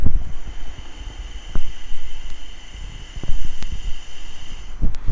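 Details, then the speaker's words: Small 24-litre air compressor that won't hold charge: thin steady hiss with a few clicks fading as tank pressure nears zero, air escaping through a leaking pressure switch before its replacement. "Ormai la pressione è arrivata praticamente a zero, quindi l'aria è uscita praticamente tutta e infatti il fruscio si sente sempre più basso."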